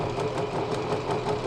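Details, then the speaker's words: Janome Flare 810 computer sewing machine, about 20 years old, test-sewn after repair and reassembly, at fast and slow speed: quick even stitching about five or six strokes a second, steady hum, no knocks, running normally. "그 다음에 띠끄라고 되어 있는 저속 바느질, 모두 정상 바느질 됩니다."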